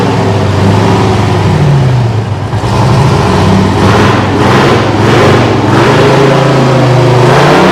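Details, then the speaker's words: Detroit 6V53 two-stroke diesel with no muffler in a Kenworth/RFW 6x6 off-road garbage truck, idle for at least four years: a loud open-exhaust roar rising and falling smoothly with the throttle, no misses or knocks; runs healthy. "It's got no muffler, so all the Detroit fans will probably enjoy the sound of this. Righto, here goes, we're going to start her up."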